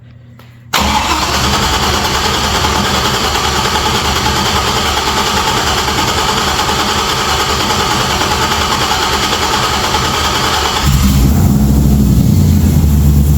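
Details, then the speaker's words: 1963 Chevrolet Nova SS convertible, very first startup after build: catches right away, settles into steady even idle then picks up slightly; good fuel and oil pressure, no leaks or sparks, no knocks or misses. "Started, we got good fuel pressure. Oil pressure. Oil pressure, fuel pressure. I don't see anything leaking. I did not see anything sparking."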